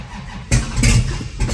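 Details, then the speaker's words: 1963 Dodge 330 with 426 Max Wedge, cold, no carburetor preheat, electronic ignition: catches on the first bump of the key with a sharp burst, coughs, then fades and sputters, won't stay running; owner suspects late timing, adjusting distributor. "I do like that it pretty much hits on the first bump of the key with the protronics it just doesn't want to stay running there's no preheat to those carburetors this thing's going to be cold"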